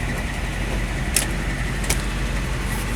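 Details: All-original 1963 Chevrolet Impala V8 with 3-speed manual, e-brake on, just started. A steady, even low rumble with no knocks or misses and a couple of light clicks; it idles smoothly and healthy.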